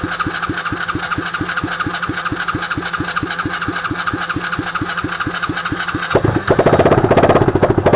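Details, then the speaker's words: Used Chinese 125cc engine with electric start and 3-speed-plus-reverse transmission, rewired, on 93-octane fuel: six seconds of slow even cranking, then it catches into a steady busier idle, smoking a little; a clean start. "It smoked a little bit, but it started."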